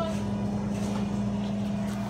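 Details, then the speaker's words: Royal vending machine refrigeration compressor using R134a refrigerant kicking on: a steady low hum at one even pitch with no knocking or rattles. Normal running. "i think we should fire up here in just a second that one has a break oh it kicked on"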